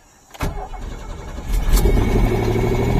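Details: Pontiac Fiero GT: a couple of cranks, it catches and settles into a smooth, even idle with a steady low rumble; starts and runs healthy.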